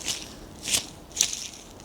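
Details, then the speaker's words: Clarkson Mk1 tool and cutter grinder motor, bearings removed and turned by hand with no motor running: gritty, dry rasp in short bursts; outboard ball bearing completely worn, inboard one also rough, before replacement. "Yeah, the outboard bearings completely gone. Listen. And the inboard one isn't great either."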